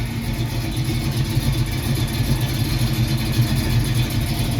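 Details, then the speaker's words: 1968 Mercury Cougar after swap to a new 347 roller V8, transmission reinstalled and oil leak retested; after a couple of minutes running it goes into drive, no oil drips. Smooth, even V8 burble at steady low idle, no knocks or misses: normal idle. "Okay, I've had it running for a couple minutes now, and it goes into drive and everything."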